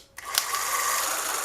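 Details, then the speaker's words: 1975 Honda GL1000 Goldwing starter pulled out and given direct power, bypassing the rusty solenoid and cables: quick whir climbing to a steady high hum; the starter spins freely, not seized. "it does turn over now I'm hoping it was just stuck a little bit and the engine's not completely seized"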